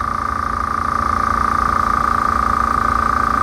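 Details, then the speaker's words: Small no-name air compressor sitting on the ground filling its tank, not vibrating much and fairly quiet: steady, smooth hum with an even pulse of about three or four beats a second and no knocks or rattles; normal running. "as you can see it's not vibrating a lot it's not making a lot of sound"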